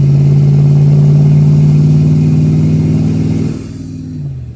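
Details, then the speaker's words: Mercury Cougar (previously run with no oil) driving: a strong, even engine note pulls cleanly under throttle and eases off smoothly with no misses, knocks or rattles, shifting well. Normal engine acceleration. "Shifting great, sounding great. Man, feels like she's got more ass than she did."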